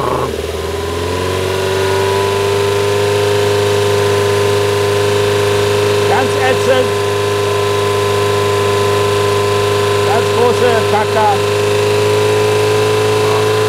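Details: 2002 Toyota Corolla 1.6 L, 81 kW, idling and blipped: steady hum with short bursts of tinny metallic buzzing as revs rise; loose heat shield plate rattling, fixable by adding a screw.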